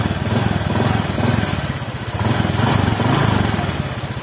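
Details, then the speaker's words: Automatic scooter, engine hot, idling with a steady, slightly rough low putter; it sounds slightly rougher when hot and normal once cool, and this is judged normal, not a fault. "tapi suara mesinnya kalau panas itu sedikit lebih kasar tapi kalau sudah adem normal"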